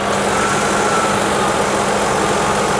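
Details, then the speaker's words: 1998 Ford Contour on a lift, running with AC on and the compressor cycling on and off: a steady airy whoosh from both radiator fans over a smooth idle, with no rattle or rubbing. Normal cooling fan operation. "fans are both working. It's a good sign."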